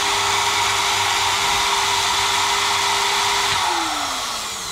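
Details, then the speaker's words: GTPRO ceiling sander after opening and checking the brushed motor's brushes: steady clean motor hum with no crackle or sparking, smooth wind-down at switch-off; normal run, brushes expected to bed in with use. "Okay, good news, it works 100%. When you turn on, you don't hear the sparky fast sound, but it's for time being, it will rest themselves in."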